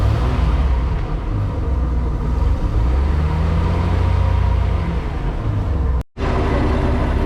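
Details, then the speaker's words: 1996 18 ft boat with a Mercruiser 4.3, after new spark plugs. Low steady idle rumble with lumpy patches and one sudden drop-out; still cutting up. Possibly 30-year-old fuel; the fuel pump is to be replaced next. Intermittent misfire at idle. "well we're still having a little breakup issue but it sounds a whole lot better it's idling I'm trying not to fall it's idling like normal uh but the problem I have is it's just cutting up a little bit still"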